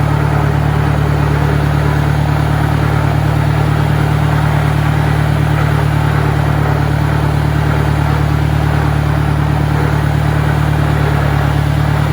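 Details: 1965 John Deere 1010, Stanley muffler, about 1000 rpm in second gear: a steady drivetrain drone with a persistent gear hum over the engine; the transmission is noisier than the 1963's, cause unconfirmed.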